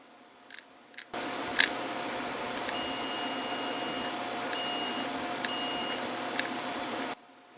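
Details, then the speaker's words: 1966 Ford Mustang C4 automatic neutral safety switch, repaired and reriveted, tested on continuity: continuous tester tone for several seconds as the switch rotates; contacts close properly, switch works. "I got it on continuity just to see if things are happening in there, and they are."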